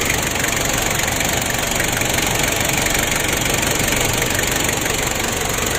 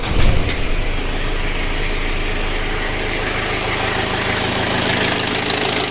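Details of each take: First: Ford Ranger diesel losing much engine oil and unable to rev high, intake air hose removed: rapid even ticking about three per second over a hissing idle, like a compression leak; found some valve clearances out of adjustment. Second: Ford Ranger diesel that lost oil and would not rev high: after emergency fix adding auxiliary pump to aid diesel fuel circulation to injection, engine catches into steady, even clatter with no stumbling or surging.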